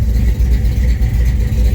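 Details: 1971 Chevrolet C20 small-block V8, just timed: deep, even lope at idle, steady pulses, no misses or knocks; normal, well-tuned idle.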